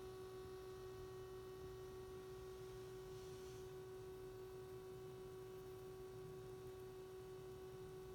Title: SDS200 At Menu Screen with Humming Noise